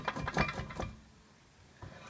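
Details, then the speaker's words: Ford Fusion jacked up, wheel rocked by hand at steering knuckle: several dull knocks then a pause and another clunk, rotor and caliper moving with play, worn wheel bearing and hub assembly. "how much play that my rotors moving and my brake calipers all loose see I definitely got something I need to replace there either wheel bearing"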